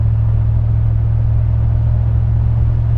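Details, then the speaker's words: Dodge Ram 1500 5.7 L Hemi at about 1500 rpm light cruise: deep, constant low hum in the cab, with or without MDS. Drone from the aftermarket Carven progressive bolt-on muffler, so the muffler is being removed. "basically 1500 RPM, you can hear go doo, even with or without the MDS, so you can hear it kick in and kick out, but that noise right there."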